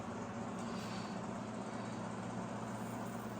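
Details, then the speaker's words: LG inverter microwave after swapping the magnetron terminal onto the old magnetron, heating soup for 30 seconds: steady low buzzing hum without dropouts or the earlier clicking; now running and heating normally. "Can you hear the buzzing? It's working."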